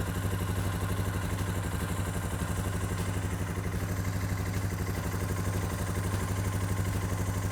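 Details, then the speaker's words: Suzuki King Quad 450 ATV idling after starting from a couple of weeks' sitting, during fluid service after a cooling system repair; oil filter weep just tightened. Even, deep single-cylinder thump about three beats a second: healthy idle. "There it is. Starts like a charm. It's the best running bike I've ever had."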